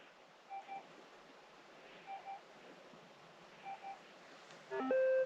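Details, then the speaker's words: Minelab GPX 6000 metal detector, pressing the tuning EMI and ground balance button: three evenly spaced double beeps about 1.6 seconds apart, then a longer tone; the tune countdown before pumping the coil. "and this is the tuning emi and the ground balance tuning button so by hitting that it's going to beat three times"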